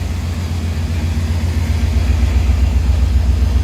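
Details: 1999 Chevrolet Tahoe idling with a loud exhaust leak: a deep, throbbing low rumble pulsing steadily.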